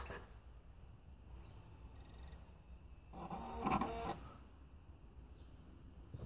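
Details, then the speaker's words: Asus BW-16D1HT Blu-ray drive in a newly built PC, empty, microphone held at the drive, recorded on wake from sleep: quiet hum then about a second of whirring, fluttering seek chatter. Still happens with the SATA cable disconnected, so the drive itself is blamed. "every time I put the computer to sleep and wake it up, it acts like it's reading a floppy disk or something, and there's nothing in there."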